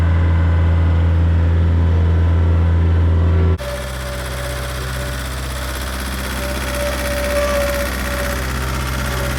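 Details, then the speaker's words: Skid loader diesel engine, before and after shop repair: heavy lumpy low drone running on three cylinders, then smoother run on all four once fixed; misfire from one dead cylinder. "I'm gonna play a quick clip of what it sounded like before we got it fixed next to what it sounds like now running on three cylinders versus running on four you can definitely tell the difference"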